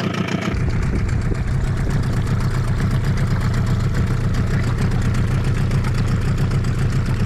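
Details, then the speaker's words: Suzuki DT 9.9 (15) AS two-stroke outboard on a Solar 350 Optima boat during break-in, held around 1500 rpm: engine vibration has stopped, steady even low drone, running smoothly. "Вибрация двигателя прекратилась. Двигатель работает ровно."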